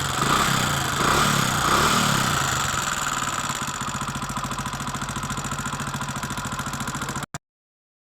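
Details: Hero Honda Splendor motorcycle at idle before tappet adjustment: even idle with a crisp, light tick about three to four times a second; tappet tick from excessive valve clearance.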